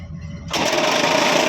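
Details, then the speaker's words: Ashok Leyland BS4 truck diesel making a new strange noise at start-up, and the water pump was checked. A quiet hum turns into a loud raspy whirring with a high buzz. The cause was a bottle the driver left in the engine bay. "बस बस बस बीमारी पकड़ा गया यार चाचा बोतल निकालिए तो बोतल बोतल य बोतल कौन डुका दिया यार"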